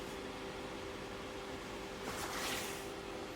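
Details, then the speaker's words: Thermoplan Black&White 3 (BW3 RU) milk cooler not cooling even with the adjuster at max: steady fan whoosh with faint hum, compressor not yet started, thin airflow. Weak condenser airflow, possibly a blocked condenser. "there's not particularly that much airf flow coming through so I wonder if we got a a blocked up condenser looks all right but yeah not really that much air flow coming through really"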